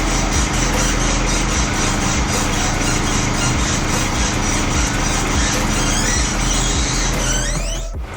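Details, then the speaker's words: Mercedes-Benz E-Class, engine on, stationary, steering wheel rocked: rapid mouse-like chirps about four per second from the front passenger side, also while driving over bumps; dry lower ball joint squeak. "자, 이 핸들 까딱까딱 하면 앞쪽 조수석 앞에서 삑삑삑삑 소음이 날 거예요. 그냥 생쥐가 찍찍대는 그런 느낌."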